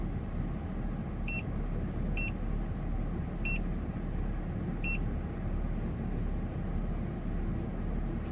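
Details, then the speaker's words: Ford FG2 Falcon, fully warm after over 10 minutes running (thermostat thought to open around 90–91°C), no codes after P2110 throttle-body code: low, steady, smooth idle at 750 rpm with a few electronic beeps, throttle 14.5–15% versus 18% before; healthy warm idle. "Engine idle sitting at 750, pretty bang on. And throttle still sitting at like 14.5, 15."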